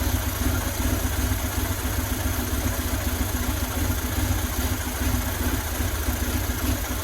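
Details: 2000 Buell Cyclone M2 V-twin, first start after new lifters and battery installed to cure lifter tap: steady even idle with soft low thump, no top-end ticking, only breather noise; normal idle.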